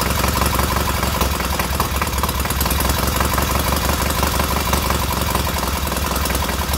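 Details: Newly rebuilt K750 twin engine idling after ignition fault fixed; regular low beat with both cylinders firing cleanly and warming equally, no misses or knocks.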